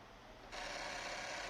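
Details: Sony PlayStation 2 slim: dry continuous rasping grind at power-on from the laser sled motor; end-position detection switch suspected stuck, cause not confirmed.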